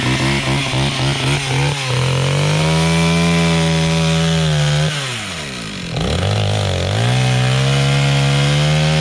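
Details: Stihl 031 AV chainsaw, about 1974–76, carb just cleaned after sitting about 5 years, cutting sassafras firewood: a high, steady two-stroke howl dips in pitch as the chain bites and recovers cleanly; the saw pulls and cuts well under load.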